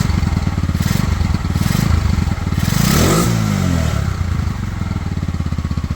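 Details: Pioneer Nevada single-cylinder motorcycle after new carburetor and fuel tank rust cleaning, choke off: steady even putter, clean swell on a quick blip, settles back; normal self-sustaining idle and revving, slightly sticky throttle.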